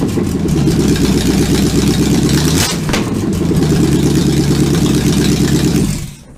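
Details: Supercharged V8 in a 1959 Vespa microcar, first-ever start attempt: deep burble with a couple of sharp throttle blips, pulling cleanly before shutting down; sounds healthy, normal running.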